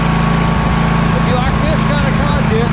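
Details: Husqvarna LGT2654 lawn tractor small engine running after carburetor work, air filter and housing refitted: steady, even drone with constant tone, no misses or surging; idling smoothly.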